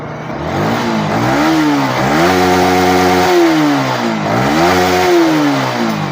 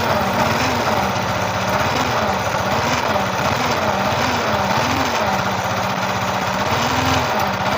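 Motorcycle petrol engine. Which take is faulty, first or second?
second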